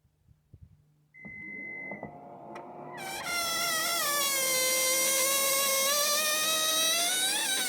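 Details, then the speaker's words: Toyota Highlander power liftgate closing: warning beep and motor hum, then a loud continuous high squeal from the strut that happens only when closing. If left unfixed it may damage the strut; the fix is silicone spray, not petroleum-based lubricant. "Hear that? There's a squeezy noise, and I know if you don't fix it and leave it like that, keep doing it, it will cause us the damage on the strut."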